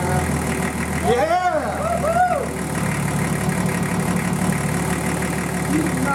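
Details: Nissan Patrol RD28 diesel running just after first start following injector and pump install and air bleeding: steady chugging idle with voices over it, even, no knocking; normal running.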